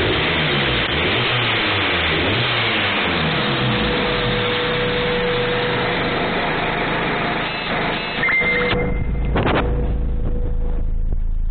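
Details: Honda Civic B16A (JDM) after a timing belt replacement, with the cam timing pushed back slightly and lined up on the three notches: engine revs up and settles into a fairly even run with no knocking or slapping, running right.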